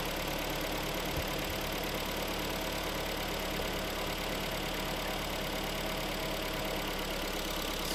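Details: Hyundai/Kia G4KD petrol engine just after overhaul, AC compressor whistle now gone: steady, even idle with a smooth hum, no whistle or knock; normal idle.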